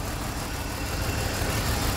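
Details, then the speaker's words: 2003–2004 BMW X3 petrol engine idling low, uneven and shaking with misfire code P0303; coils already replaced, cylinder 3 injector shut down and getting no fuel, wiring or computer circuit suspected. "that's why the car is running bad now like this that injector is shut down there is no lubrication there no gas going in"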